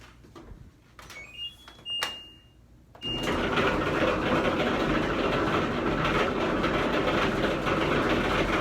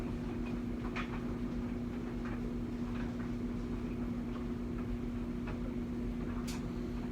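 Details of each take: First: the dryer has gotten really noisy anytime you turn it on it just makes this terrible rumbling sound so loud my wife and I can barely talk Second: LG dryer after replacing worn front drum roller for loud rumbling: smooth steady motor hum, even drum turn, only light clicks, no rumble or thumping; new rollers fixed the noise.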